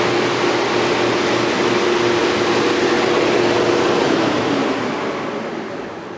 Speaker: there's no bearing issues the fan isn't rubbing as you can hear it's just really quiet running